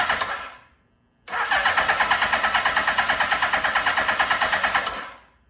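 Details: 1982 Suzuki GS1100 first start in over 20 years, carbs just filled, choke on, pod air filters fitted with unchanged jetting: steady starter cranking at about three beats a second with no firing. The owner suspects a lean, too-much-air condition.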